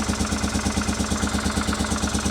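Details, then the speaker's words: Honda Africa Twin at its first start after rebuild, on a temporary fuel supply: a lumpy idle with a loping off-beat, firing on the rear cylinder only, a dead cylinder from fuel starvation. "As you saw, earlier the bike started, but it's only firing on one cylinder. On furt"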